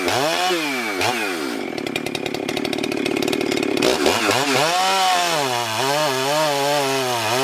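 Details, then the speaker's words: Husqvarna 394XP chainsaw, freshly rebuilt and ported, early shakedown runs on a hot humid day: screams at high revs, bogs briefly into the cut, pulls back cleanly. Normal cutting; expected to strengthen as rings seat. "all right guys I'm going to call that win I'm pretty tickled with it just for the few first couple of Shakedown runs on that thing she's doing amazing"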